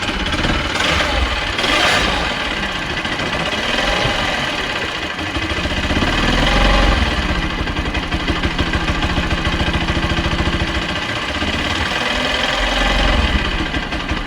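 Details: Bajaj Pulsar NS200 motorcycle at idle: fast, fairly steady light ticking from the engine riding over the exhaust beat.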